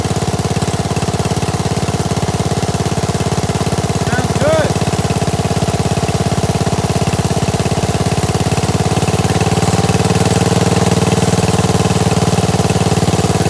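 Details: Gravely 816S with a 16HP Briggs and a replacement Chinese carburetor, rigged-up ignition, first run after about a month: smooth, even idle, a steady low thump with no hunting, surging or misses; normal idle.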